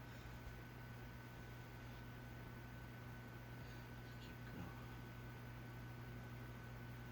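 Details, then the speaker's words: Corbett Lighting Calcutta 52" ceiling fan drawing 0.33 A on its internal variable speed control: very faint steady low hum, audible only up close, with no ticking or rubbing; the motor sounds healthy. "As I said, you can hear a little hum, but very little, yeah. You have to get up close to hear it to notice it."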